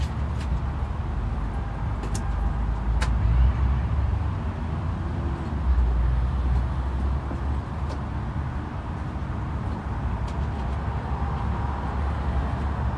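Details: 1995 Toyota Camry started after replacing the oil pump gasket, fixing a mystery oil leak that began after timing belt replacement; checking for leaks, low steady idle with no misses, knocks or ticks, healthy.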